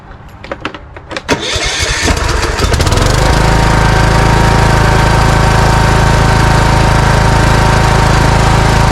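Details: Cub Cadet riding mower with Kohler engine, surging and backfiring from fuel starvation, after carburetor replacement and new air filters: a few uneven cranks, then fires and settles into a smooth, even run with no surging.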